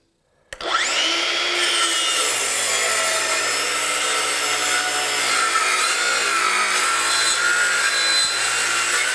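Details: Craftsman V20 brushless 7-1/4" circular saw CMCS550B, battery just over half charged, full-depth cut across 4x4 treated lumber: loud cutting roar with motor pitch sagging and labouring; plugged dust port packing sawdust slows the saw, though it still cuts.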